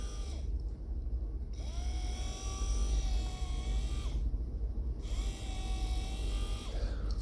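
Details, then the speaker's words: Land Rover Discovery 2 electric window motor, tested before stripping the old one: steady whir starting, holding even pitch and stopping cleanly in repeated bursts; motor is good, fault likely a broken wire. "in fact actually before we do all i tell a lie the motor is good"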